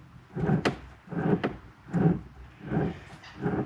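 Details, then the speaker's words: Traditional sailing trailer boat inboard installation, propeller shaft rotated with the motor separated: rough low grumbling about once a second from the worn thrust bearing, to be replaced; shaft had been whipping and the pillow block had detached from the keelson. "which you can hear that little grumble in there so i'm going to replace this bearing here which is the thrust bearing"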